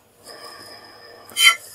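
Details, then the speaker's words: Old furnace inducer motor, removed and spun by hand, rusty and gritty inside: thin, ringing whir of worn bearings; it had squealed and later seized, and the replacement motor is silent. "i'm glad we're replacing it you can hear the bearings spinning"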